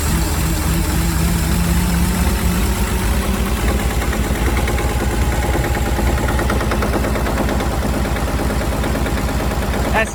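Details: Late-60s/early-70s Towmotor forklift flathead six side-valve, semi-seized after sitting for years, first start: slow lumpy idle with dull regular thud deep in the block every turn; bottom-end knock.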